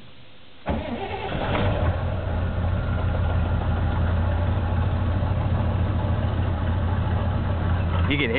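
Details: 1977 Chevy K10 with a 4-barrel carbureted 350 V8, dead cold start at 8°F in neutral, choke not working since the intake swap: the engine catches after a second and settles into a lumpy idle that hunts and stumbles, with no oil pressure yet.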